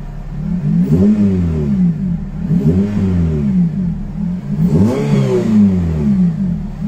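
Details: Honda FN2 with K20 engine, first start-up after refitting the intake manifold and J35 throttle body and installing a new oil catch can and homemade air intake: three clean free-rev blips rising and falling smoothly, with no misfire, knock or rattle.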